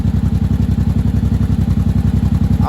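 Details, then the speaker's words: 1983 Honda Shadow VT750C, warm, choke off, after final assembly: slow lumpy heavy thumping; idle set below about 1000 rpm, sounds close to stalling; low idle speed. "yeah that's a little low idle's a little low for me I mean you're supposed to idle right around one but I don't want her shutting off sounds like she's going to shut off so"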